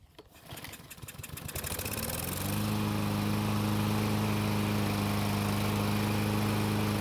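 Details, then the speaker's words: Murray mower, cold and not warm enough for a hot start: a few sputtering pulls, then it catches and runs steadily, but only after fuel is put manually into the carburetor throat. Carburetor issue suspected. "so yet again it started but we had to manually prime it to do it"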